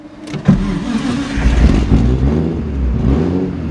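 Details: RB26/30-swapped Nissan 240SX after refitting a cam angle sensor that had fallen off and left it running poorly: engine catches and settles to a steady even idle with clean throttle blips, no misfire; running healthy again.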